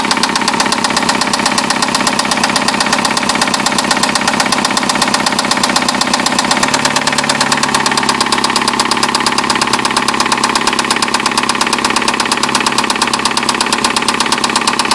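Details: 2009 Nissan Altima with a QR25DE petrol engine at idle: a sharp, rapid metallic knock runs steadily throughout. A spun rod bearing on cylinder one is suspected but not confirmed.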